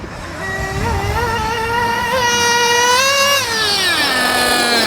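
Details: JQ Products THERTR nitro engine during break-in at the track after mixture tuning: a high buzzing note climbs steadily then holds clean and even at top speed with no sputter; normal high-rpm run, pulling strong.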